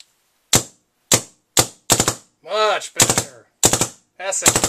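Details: DLX Luxe 2.0 paintball marker on a 600–650 psi medium-pressure tank, after the grip frame leak repair with bolt guide and o-rings replaced: sharp single and rapid triple shots, each crack clean with no hiss, firing normally with no leaks.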